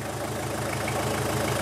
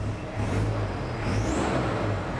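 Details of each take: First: Toyota Hilux Surf 2L-TE diesel after swapping the old CT20 turbo for a CT16-V variable-geometry turbo from a 1KD-FTV: steady, even idle with smooth low clatter, no hiss or whistle from leaks; running healthy. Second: Toyota Hilux Surf 2L-TE diesel with a CT16-V variable-geometry turbo from a 1KD-FTV, free revving with the vanes closed to about 40%: dull, strangled note and faint rising whistle, doesn't rev as smoothly as with vanes opened to 60–70%.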